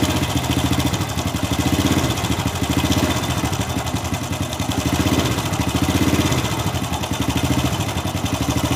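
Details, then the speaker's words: Honda Supra Fit New motorcycle idling: loud, fast, harsh metallic rattle from the left side of the engine over the steady beat. Loose cam chain, to be replaced. "Bunyinya berisik sekali, teman-teman. Berderak keras. Jadi, jika bunyinya seperti ini, biasanya rantai kam (cam chain) longgar."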